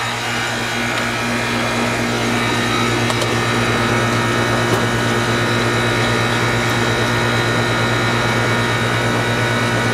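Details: Old Goodman 3.5-ton outdoor condenser from 2000, set to cool at 70°, about 70–75 lb on gauge: even low compressor hum under a smooth fan rush, no knocks or rattles; running normally.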